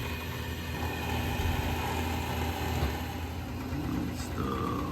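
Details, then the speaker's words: Carrier Infinity furnace, draft inducer on start-up: rough droning hum with wavering tone that winds down within seconds; low heat pressure switch did not close, failing draft inducer motor. "low heat pressure switch did not close or reopen that would make sense considering the sound of this draft inducer uh and it like stopped right away that is not going to be cheap"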